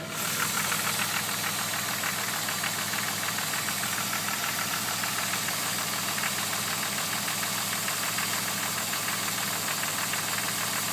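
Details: Jeep WJ: a steady, fairly even knock of roughly three per second rides over the running engine; owner unsure whether it is a problem, cause unknown.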